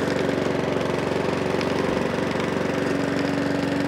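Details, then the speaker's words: Mountfield 414 lawnmower with RS100 OHV engine, low on fuel: steady, even single-cylinder putter at constant speed with no hunting or surging; running normally. "no honey no surging yeah happy with that"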